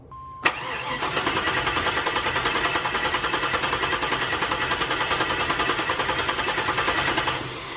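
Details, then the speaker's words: LS-swapped Suburban V8 cranked with a compression gauge in one spark plug hole: short tone, then steady even chug of about three pulses a second; reading about 160 psi; normal cranking. "90% sure that I got that threaded in all the way. So I'm gonna crank it over and we'll see what's going on here."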